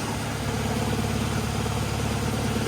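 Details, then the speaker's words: 2011 Nissan Rogue first started after coolant and transmission refill; deep, lumpy idle with uneven throb and shake from a misfiring cylinder whose coil pack wasn't fully plugged in. "no leaks so I turned off the Nissan because it was running a little rough and I was checking the plugs and I noticed see how this Cap's good this one's not"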